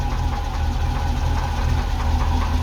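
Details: Ex-NZ Army V8 Land Rover (NZ 341) after swapping failing military ignition for Mallory coil, optical unit, cap, rotor and ballast resistor: choke killed straight away and it keeps running, a massive improvement; steady, even low rumble, clean idle, no misses.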